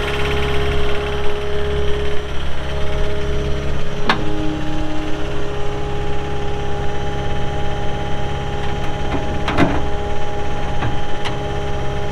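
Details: 2018 Caterpillar 262D skid steer diesel, 1,242 hours: steady, even drone with a constant hum and no knocks or misses at idle; normal running.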